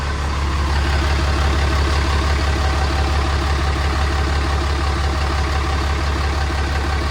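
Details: Ram with 6.7 Cummins diesel, over 680,000 miles, just started after an oil and filter change, checking for leaks: deep, steady diesel idle with even low rumble, no knocks or ticks; normal idle.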